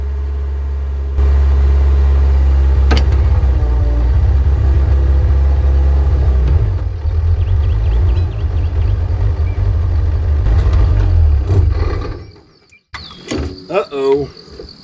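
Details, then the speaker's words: Recently bought used excavator, digging for a 500-gallon underground propane tank: heavy, deep idle runs steadily, then turns ragged and uneven before dropping away; intermittent miss on a cylinder or two, cause unknown. "it is not running right it sounds like it's missing like intermittently misses on uh a cylinder or two"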